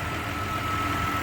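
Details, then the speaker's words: GM car (Impala/Monte Carlo) after repairing a no-start with no power to the starter and random electrical faults: smooth even idle with a faint steady whine, no knocks or misses; everything back to normal. "the Monte Carlo no start uh random things happening or whatever uh was fixed everything's back to normal"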